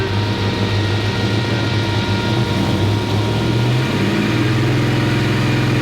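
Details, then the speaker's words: 1957 Chevy Bel Air, probably out of adjustment, held at about 2800 rpm: speed wavers, then sags and drops in pitch before settling lower; stumbling at this setting, cause unclear. "did not like that why was it doing that didn't like this one setting all that much"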